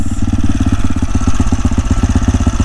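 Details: AJP PR7 single-cylinder motorcycle after it cut out on the road and the spark plug was replaced: quick even low thumps about nine a second, steady with no misses or rattles; restarted and idling cleanly.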